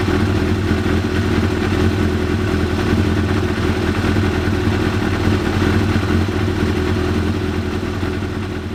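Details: 1993 Yamaha YZF750R after new ignition coils fitted and plug caps seated properly to cure running on fewer than four cylinders: smooth, even four-cylinder hum, no missing beats or stumbles; running properly on all four cylinders.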